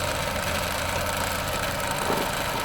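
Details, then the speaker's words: 2010 Ford Fiesta Zetec Rocam petrol engine idling with a fast, light rattling tick like timing chain noise; caused by the ball-type PCV breather check valve on the valve cover, replacing it stopped the noise. "Tá com esse barulhinho chato aí no motor."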